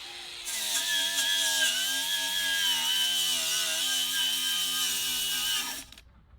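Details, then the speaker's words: Bosch GWS 180-LI brushless cordless angle grinder knocking surface rust off steel, 4Ah ProCORE battery: high grinding whine slowly sags in pitch, then cuts out completely; speed drop as the battery runs flat after about 11 minutes, indicator flashing. "And again, if you listen carefully, you'll hear the loss in power just before the battery runs"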